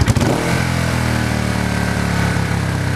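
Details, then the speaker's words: Honda CB350/450 twin hangs at about 3000 rpm at a stop with the clutch pulled in and the throttle released, then quiets when the clutch is let out. This is the common mystery high idle problem. "so you got 350 or a 450 Honda and you have this mystery hiding project and it's like this bike runs great but you pull up to a stop sign you're pulling your clutch you let off on the gas and the thing rubs at 3 grand"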